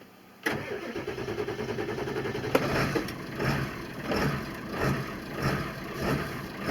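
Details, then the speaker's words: 2000 Ford F-350 crew cab dually with 7.3 Power Stroke diesel, stock idle setting: cranks briefly, catches, then idles rough with a slow surge about once a second and dies; intermittent start-and-die and erratic idle. "she's in the stock setting and we'll see what she does and she's going to start and die"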